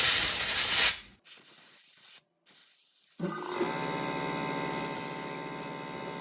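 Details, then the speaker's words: Shop compressed-air line under pressure: a loud steady hiss of escaping air from a leaking fitting, then a steady hum. The fittings need replacing. "Usually the one down by the water separators leaking a lot of air."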